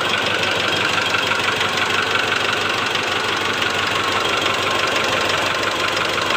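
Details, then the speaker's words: 2008 Mitsubishi Strada Triton GLS diesel at idle, cylinder-cut test: sharp, fairly quick tak-tak knock over the clatter that gets louder with injector one fitted and is absent on cylinders 2–4; likely piston slap in cylinder one. "Jadi kemungkinan besar ini terletak pada penyakit di piston nomor satu seperti itu ya"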